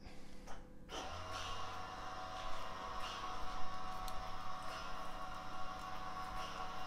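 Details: ABS unit during a brake bleed commanded with an Autel DS808 and a Wuth pressure bleeder, front right wheel, about 1 minute per wheel: low steady motor hum kicks in and holds; ABS pump running normally.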